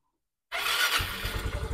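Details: Yamaha Mio i125S that stalled with error 19 and would not crank, after side stand switch fix: starter catches at once and engine settles into quick even firing; starts cleanly.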